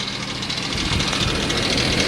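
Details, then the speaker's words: 2013 Ford F550 4x4 rollback diesel at idle, AC running; light loose metallic rattle from transmission-mounted Muncie PTO pump, a known noise on these Ford transmissions, fixable with a kit but PTO works fine. PTO rattle at idle. "a little annoying rattle there I'm not sure if you can hear it at all"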